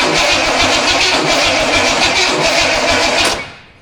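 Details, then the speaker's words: Studebaker first start attempt with a carburetor and a used distributor taken from the shed: even starter churn about three and a half beats a second, never firing. Owner suspects no spark from the ignition box or the distributor, not confirmed. "Oh man, what the heck? I mean, it's simple. It should have gas."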